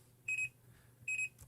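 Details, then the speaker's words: Fluke multimeter in min/max recording mode: pressing the range button gives two short high-pitched double beeps about 0.8 s apart, warning of an invalid action, because the range can't be changed while min/max is active. "si yo presiono rango va a emitir dos pitidos y eso significa que estoy haciendo una acción incorrecta"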